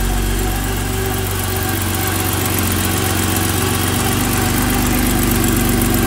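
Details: 1986 BMW 325e (E30) M20 engine at idle just after a valve adjustment: steady idle with a light, fast tick about four a second, likely valve train ticking; owner unsure whether normal.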